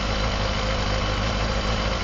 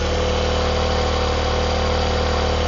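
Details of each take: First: Honda CBR250RR MC22 four-cylinder: smooth, even idle with a steady low beat, no stumbles; start-fluid retest shows all cylinders firing cleanly. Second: Honda CBR250RR MC22 four-cylinder with a quiet exhaust, start-fluid misfire test: steady idle with a slightly uneven, lumpy beat unchanged when cylinder four is fed fuel; cylinder four dead, fouled plug, while cylinder one needed more fuel.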